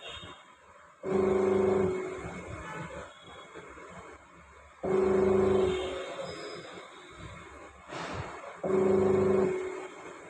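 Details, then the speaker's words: Panasonic Active Foam 8.0 kg washing machine: loud groaning hum in bursts while agitating after gearbox replaced; motor noise, motor also faulty. "य जो आवाज आ र है motor का आवाज है gear बक्स तो हमने रिलेस कर दिया है मोटर भी खराब है"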